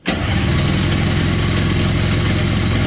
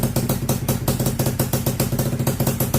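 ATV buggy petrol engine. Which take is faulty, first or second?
first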